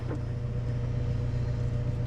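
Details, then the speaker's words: Old mechanical-injection diesel cabover truck sitting 20 years, fuel filter pre-filled with ATF, fed from a jerry can, shutoff solenoid powered: steady fast starter churning, engine never catches; crank-no-start, no fuel flow yet, primer next. "all right everything's hooked up and we're just going to start turning it over and see if we can get fuel pumping through this thing"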